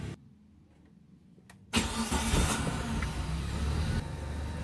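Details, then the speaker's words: Suzuki Karimun kotak with a recently disassembled carburetor, just started with the headlights off: after a quiet pause the engine fires and holds a slightly raised, even idle; a normal brief high idle at start-up. "Hai untuk mesin yang bagus pertama hidup itu otomatis RPM akan naik itu wajar itu adalah ideal gas disini bermain jadi pada saat mesin dihidupkan ini otomatis RPM akan naik"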